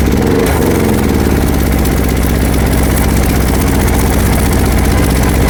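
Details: Super Steel 6 kVA petrol welding generator, new model, running on pure petrol and showing 230 V output: steady, even engine drone at constant speed with no knocks, misses or surging; normal running under governor control.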